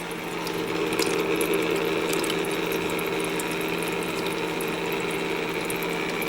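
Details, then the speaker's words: Master Chef countertop ice maker, freshly replaced water pump: constant buzzing hum with a light irregular ticking rattle; pump still sounds rough, owner wonders if it was running dry. "oh now it's working still doesn't sound great I wonder if it made that noise cuz it was dry"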